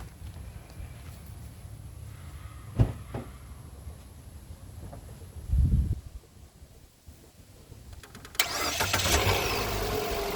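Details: 2024 Mitsubishi Xpander GLS with an engine no-start, just after battery terminals reconnected: quiet, then a brief crank and the engine catches cleanly and settles into a steady run; normal start.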